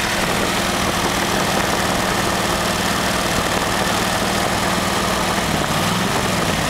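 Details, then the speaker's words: Studebaker V8 first start on a new Evans intake manifold, 18–19 inHg vacuum, about 700 rpm, good idle air-fuel mixture; steady even low rumble with no misses, knocks or ticks; normal idle. "okay it's pulling a very nice vacuum at 18 to 19 inches it probably sounds like maybe 700 rpms and getting a very nice air fuel mixture at idle"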